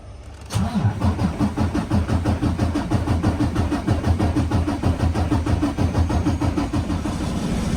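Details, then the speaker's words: Freightliner Cascadia DD15 diesel after replacing the leaking fuel common rail and high-pressure pump lines: cranks and catches quickly, even idle pulse about three beats a second with no throttle applied, no misses or knocks; healthy. "Just go ahead and let it run. I don't like to give it any gas, any throttle like that."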